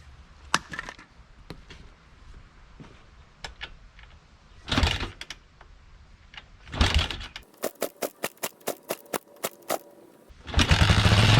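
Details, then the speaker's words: Kawasaki Mojave 250 that sat two years with a full tank: clicks, then quick even cranking that never catches, even on starting fluid. Fuel starvation, float suspected stuck in the carburetor bowl; the carburetor will be pulled and cleaned. "fluid sometimes you can get lucky you can run stuff on starting fluid for a little and then the carburetor will clear up but we didn't get lucky this time"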